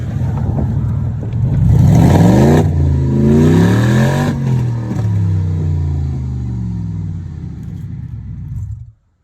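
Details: 2002 BMW 745i V8, flood-damaged electrics, after control module swap: deep booming blip that swells then falls back to rumbling idle; raw, overly loud exhaust because the catalytic converters were removed and sold.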